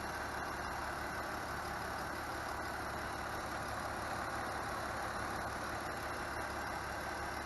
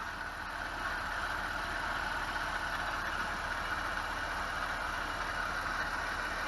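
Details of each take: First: BMW E46 idling after valve clatter was fixed and the noisy tensioner pulley replaced: even, smooth, low drone with no chirp or rattle from the belt side; normal idle. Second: BMW E46 at idle after valve clatter was fixed: constant whirring hum above the engine note, pinpointed with a PVC-pipe stethoscope to a worn tensioner pulley.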